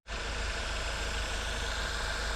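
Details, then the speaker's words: VW GTI that ran rough with a cam crank correlation code P0016, after replacing the cam actuator (magnetic adjuster and oil control spool valve faulty): steady, even, smooth idle with low rumble and no stumbles or misses. "It's running okay. I just replaced the cam actuator there. Got it all bolted down, and she smoothed right out."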